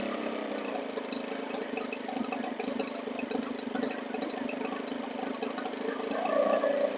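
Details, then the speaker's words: Stihl FS 110 four-stroke 4-Mix engine at idle, slow to return to idle and hunting, speed swinging wildly as the low mixture needle is leaned (revs high) and richened (nearly stumbles and dies); air leak, crank seals to be replaced. "do you hear the delay in the idle now i'm going to adjust the low mixture needle and watch how wildly it responds i'm gonna lean it just a little bit the engine is all over the place"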